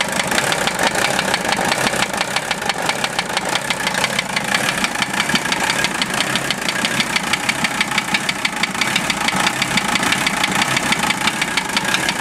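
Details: Warm OM617 diesel swapped into a Toyota idles 2–3 minutes after warm-up with a sharp, regular knock over the clatter, tracking engine speed; unchanged after valve adjustment and cracking each injector; owner suspects piston/connecting rod area, unconfirmed.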